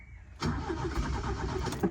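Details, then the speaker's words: 1977 Toyota motorhome with a rebuilt engine, sitting dormant a long time, in neutral: the starter cranks at an even rhythm but the engine never catches or fires; crank, no start. "I want you to hear what's going on because he's not starting up."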